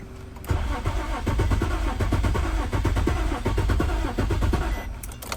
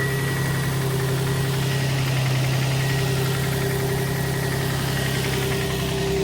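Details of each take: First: 2003 Infiniti G35 coupe that won't start, key/immobilizer suspected before KM100 key programming: starter cranks steadily for about five seconds with even compression beats but never fires; crank, no start. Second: 2003 Infiniti G35 coupe, low on gas, after key programmed with Autel KM100 to cure immobilizer no-start: steady regular idle about 3.5 pulses a second, no stumble or knock; running normally.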